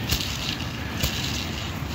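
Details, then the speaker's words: Honda power steering pump bearing, removed during a rebuild and turned by hand: gritty crackling rumble with occasional clicks because it spins too freely; the bearing is worn out and gets replaced with a new one. "it's been so easily so you could hear it so that's bearing is gone"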